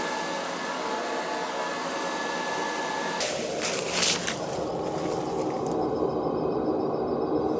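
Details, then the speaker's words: Riello oil burner on an NTI boiler, annual service: steady blower roar with clean flame hiss, no pulsing or rumble. It runs clean with no black smoke after a new nozzle and thoroughly cleaned burner earlier this year; normal. "Yeah, she's running clean. If she was running dirty, you'd see it blowing black smoke out. It's fine."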